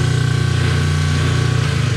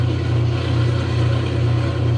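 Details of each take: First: Kenmore 90 Series top-load agitator washer in spin cycle: steady, loud motor drone with low throb but no spin-up, tub not spinning; broken motor coupler. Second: Kenmore 90 series top-load agitator washer that had not been spinning in the spin cycle: steady low motor hum with an even swish about 2.5 times a second, spinning normally. It began working after the knob was cycled through the different cycles, with no repair made and the cause unknown.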